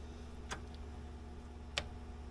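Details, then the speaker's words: Polaris RXL Indy fuel-injected triple snowmobile, sensors unplugged: two sharp relay clicks about a second apart over a low steady hum, with no pump buzz following; fuel pump not running despite voltage. Owners suspect a bad pump or a poor connection. "nope still nothing well sounds like a second not good pump yeah you would have been able to feel that"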